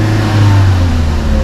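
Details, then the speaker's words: 2019 Chevrolet Sonic showing check-engine light and reduced-power message, misfire (P0300) suspected after an engine wash: engine held flat near 3000 rpm despite throttle, no climb; misfire causing reduced power rev limit. "y sí en efecto estoy tratando de acelerar y vean no pasa allí de las 3000 rpm"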